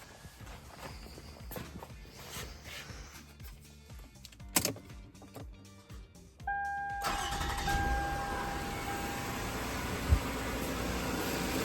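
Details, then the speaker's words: 2007 Toyota Solara 3.3 L V6 (3MZ-FE) starting after spark plug and PCV valve replacement, with the intake manifold reinstalled. Starter whirs briefly, engine catches cleanly and settles to a steady, even idle. Sounds as it should; normal start and idle. "she sounds good she sounds like she's supposed to I like it"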